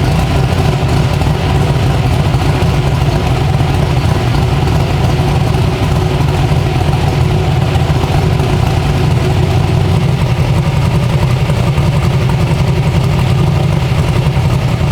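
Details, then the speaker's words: 372 small-block Chevy V8 in an S10, first start with fuel pump on: deep, even rumble holds steady with no misses, knocks or hunting; healthy idle, not flooding. "it sounds like where the blades are set it should be good good idle it ain't trying to flood out or anything that's good"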